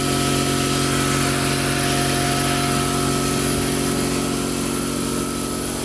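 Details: Quincy 5hp two-stage air compressor, newly installed on anchors, first run: constant hum with a steady pump beat about four per second, even throughout; running normally.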